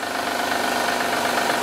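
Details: 2010 Honda Odyssey 3.5L i-VTEC at idle, recorded at the engine: a harsh, fast metallic rattle that never lets up. The timing belt tensioner is bad and knocking and must be replaced first; more problems are possible.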